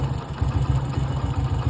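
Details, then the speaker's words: Hero Splendor motorcycle idling with a deep, uneven throb and a faint rough rattle over the low beat. The owner reports a strange noise from one area of the engine that appeared recently, cause unknown. "Amigos, alguno que me ayude, es que mi moto tiene un ruido extraño en esta parte."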